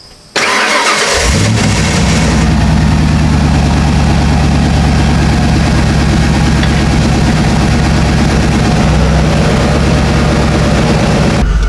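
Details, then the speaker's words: 1995 Ford F250 (OBS) restarted for its first road test: cranks briefly, catches cleanly and settles into a steady, even idle with no knocks or misses; oil pressure good, temperature just coming up; healthy start. "here we go let me fire it up we'll pull on out of here and we'll see how it does driving down the road"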